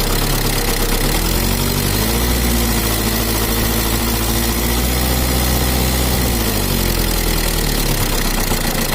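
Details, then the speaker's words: Mitsubishi Kuda diesel (4D56) with a limping rough idle, low power and a bad oil leak: a loose ticking, clattering knock rides on the uneven idle. Valve clearances suspected set too loose, around 50/60. "suaranya itu semacam ada yang tabrakan bunyi Adek etek etek tapi kalau ditampilkan sedikit bunyi tapi kalau gak besar beli enggak bunyi dan juga untuk suaranya itu ada kemrecek nya grabnya kayaknya ini setelan klep nya ada yang ukuran 50/60"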